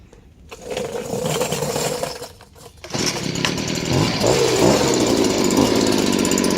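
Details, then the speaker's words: Warm restart of a freshly serviced Stihl BG56C 27cc two-stroke leaf blower. It fires after a pull or two without the choke and settles into a steady, crisp idle; the carburetor seems set perfectly. "Now you notice that I was able to crank it warm. And that's one, because the carburetor seems to be set perfectly, as well as it's serviced and running really well."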